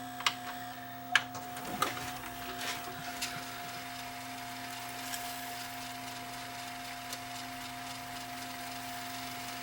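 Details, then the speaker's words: Samsung SV5000 multisystem VCR after its power supply repair, rewinding a tape without full-size hubs: a few clicks, then a quiet, steady motor hum at slow speed, because the machine cannot gauge the spool and will not high-speed rewind; normal operation. "yeah these slow tapes are these uh these tapes that don't have uh full size hubs in them with just a small load of tapes are ridiculously slow to rewind"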